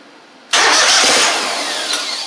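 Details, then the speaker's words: Gravely 260Z zero-turn with Kohler twin: starter catches and the engine runs steadily while the key is held in start, then dies as the key returns to on; DSAI module and ignition coils suspected. "Now, as soon as I release the start and put it in the on position, it quit."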